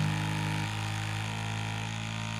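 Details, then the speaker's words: Bambu Lab A1 Mini Combo 3D printer during first-run setup doing mechanical resonance/vibration calibration, head vibrating at 66 Hz then up to 197 Hz; steady, even low buzz at fixed pitch that fades slightly: normal calibration. "So it's now doing the mechanical resonance for vibration. I'll just let you hear It's vibrating so fast."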